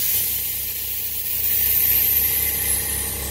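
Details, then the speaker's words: 1972 Chevy truck on air suspension, engine idling warm: a loud, steady, unbroken hiss as the front and then rear airbags dump, with the pumps running and then shutting off. Normal air suspension deflation. "that just dropped the front that just dropped the back and you can hear the pumps run there you go now the pump shut off"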